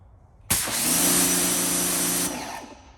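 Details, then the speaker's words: New Suyncll pressure washer, after being turned off and restarted during first use: steady even motor-pump drone without cycling or pulsing; the earlier on-off pump noise has stopped, cause unclear. "See that? It's not doing that noise anymore. So I don't know if it was because the first time I used it, I'm not exactly sure."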